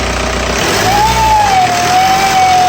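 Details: 1999 VW ALH TDI diesel, smoking: clear whistle near 800 Hz rising and sagging with revs over the diesel roar; owner thinks it is the turbo, unconfirmed; whistle when revved.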